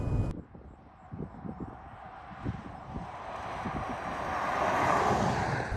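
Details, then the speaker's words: 2014 Ford F-150 test drive: road roar with a growling, groaning noise from the front that gets louder when steering right loads the left front wheel, pointing to a failing left front wheel bearing; suspected, not confirmed. "hear that kind of like growling or groaning noise and then when conditions are safe for it we're going to start to swerve the vehicle left to right you know really trying to trying to listen in on that noise as we get the weight shifting"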